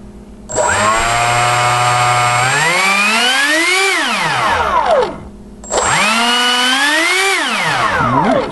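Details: Skyartec F-16 RC jet electric ducted fan after crash, duct and motor mounts rebuilt from a spray paint can cap and hot glue, battery connected: fan whine climbs smoothly, holds and winds down twice, clean with no rubbing; works fine.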